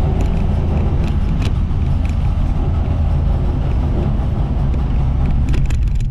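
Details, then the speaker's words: 1958 Ford F100 panel truck driving after its fuel, plug, wire and points work: steady low engine rumble with road noise and no knocks or grinding. The clutch works, shifts are smooth and normal rear-end gear whine is audible; it runs properly. "the truck's making all the right noises. Clutch works, seems to function just fine. Shifts through all the gears very, very smoothly."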